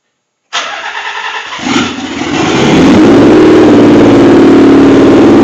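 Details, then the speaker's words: Nissan 300ZX Z32 twin turbo, first start after idle air control valve cleaning, engine cold (about 40s), MAF unplugged, cat-back and downpipes off: cranks, catches, then loud, fast, steady high idle in limp/safety mode. "I'm going to start it let it run and you'll see it running in safety mode and hear it it's really loud got open I don't even have the cat back on or the downpipes after on"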